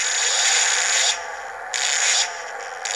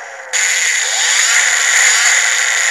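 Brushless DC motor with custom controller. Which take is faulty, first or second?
first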